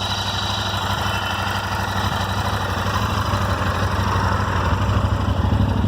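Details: Royal Enfield Interceptor 650 twin idling with a light, irregular random ticking over a steady low thrum, from the left side of the engine near the rocker/head covers; Royal Enfield unable to solve it.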